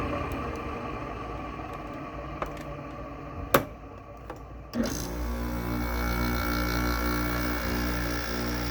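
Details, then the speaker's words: Goldstar WG5004 window air conditioner, LG compressor starting after sitting: clicks, a thump, then a coarse buzzy hum that should smooth out as pressure builds; the owner suspects a lubrication issue. "Doesn't sound nice at first, it'll sound nicer later on. when it builds pressure. Yeah, I think it's got a lubrication issue."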